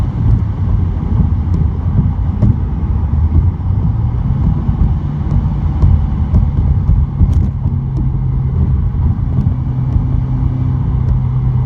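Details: 2017 Subaru WRX, phone recording from the glove box, 3rd and 4th gear above 60 at high boost: deep cabin drone with brief hissy buzzing bursts as boost builds, found to be a boost leak.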